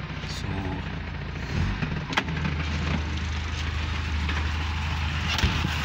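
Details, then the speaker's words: Ford Bantam CVH 1400 petrol engine started after ignition timing work, not run for a long time: catches and settles into a steady, even low idle, no misses or knocks, outdoors; starts right up. "it starts right up."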